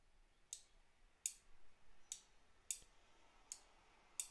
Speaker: hear that you can hear that clicking and I could feel it in my hand as it's moving so if I put that on there it's on now